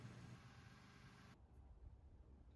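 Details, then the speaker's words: Vehicle idling after a jump start, battery tested with engine running and all parameters fine: low steady idle rumble with no knocks or misses; normal idle. "here i'm testing the battery with the vehicle running we had to jump start it to get it going and all the parameters with it running look fine"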